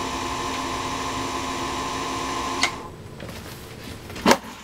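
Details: Singer Featherweight 221 sewing machine motor, previously killed by wrong lubricant and grinding metal to metal, now repaired, running with no load except belt to balance wheel: even, steady electric hum, no grinding, winds down; normal motor running.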